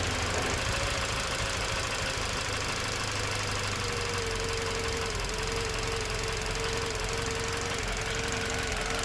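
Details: Toyota Verso 1.8 2ZR-FAE Valvematic petrol, LPG-equipped, 180,000 km, idling unevenly with irregular knocking; engine shakes, occasional cylinder 4 misfire while driving; compression ~13 bar, plugs, coils, injectors OK, no codes; cause unknown.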